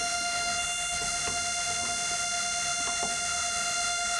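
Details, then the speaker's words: 91" Extreme Flight Extra NG RC plane, just powered on via transmitter and power box switch, sitting at rest: constant high buzzing hum with faint ticks from the digital servos; normal servo chatter. "Ignore the servo chatter, that's perfectly normal for these digital servos."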